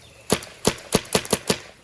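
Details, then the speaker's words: Spider Pilot E-marker paintball gun after clog and trigger repair, on semi-auto: six crisp, sharp pops about a fifth of a second apart, each shot cycling cleanly; firing normally. "You push this switch back here, and now it's on semi. Oh, helps if I caulk it."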